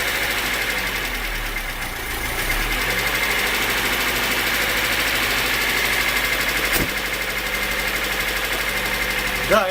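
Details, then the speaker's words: VAZ engine after fixing crankshaft pulley knock from a missing/worn key, heard from front, alternator belt not yet fitted: light quick valve chatter over steady idle, no clank left. Valve tappet chatter. "Слышите, ушел стук, ушел. Это уже тарахтит, там клапана тарахтят, ничего страшного. Но этого лязга-то уже нету."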